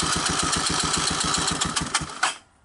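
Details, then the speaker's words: 1984 Honda ATC 200ES ATV, low compression (about 30 psi), during a compression test with the throttle slide removed after oil in the cylinder: fast even cranking pulses, about eight a second, no firing; compression came up. "so it came up to 9 by uh by faking it along to start"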